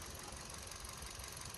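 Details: Hyundai i20 petrol at service with a rough, uneven idle and a loose knocking pulse from a cylinder misfire; coil pack check showed coils three, two and one firing, so the cause is still being traced.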